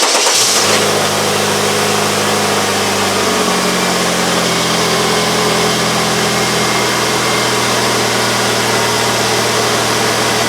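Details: 1999 Pontiac Grand Am 2.4L LD9 Quad 4, first start on a cold day after replacing a fuel pressure regulator with a ruptured diaphragm and leaking O-ring: cranks, catches quickly, smooth steady idle with no misses or knocks; no leaks seen.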